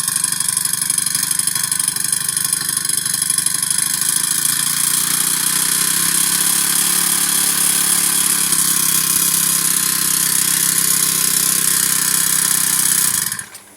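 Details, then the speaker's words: Old Honda GX35 four-stroke brush cutter that keeps failing to start: it buzzes high under throttle, then abruptly cuts out. The valve has been ruled out, and the carburetor is suspected of not delivering enough fuel and needing cleaning. "พี่น้องอันนี้ผมสันนิษฐานแล้วแก้ปัญหาแล้วคิดว่าน่าจะเกี่ยวกับคาบูต้องได้ล้างเนาะ"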